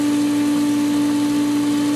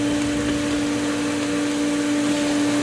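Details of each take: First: Pool pump at season opening after the skimmer line purged its winterization air and the pump recaught prime. Steady, unwavering motor hum with no gurgle; pump primed with proper flow, almost no air. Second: Pool pump at season opening, west skimmer valve (shortest run) opened slightly after winterizing left the lines full of air. Steady hum with strong whine ("wee-woos") and rising gurgling hiss; pump still primed but ingesting lots of air, expected to recatch.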